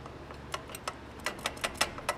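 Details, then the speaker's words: 1990 Toyota Celica GTS clutch release fork, engine off, transmission being dropped: moving it gives light metallic clinks, about eight in two seconds. Loose release fork, not hooked into its retaining brackets, suspected cause of no shifting. "I can move it up and down and be this and just like cling cling cling cling cling cling it's it doesn't sound good so here's my release fork"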